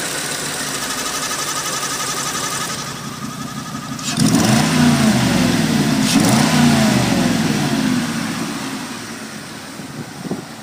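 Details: Oldsmobile Aurora 4.0 V8 idling with thin steady whine, then two quick revs with raspy, puffing edge; suspected exhaust leak and water pump whine, unconfirmed.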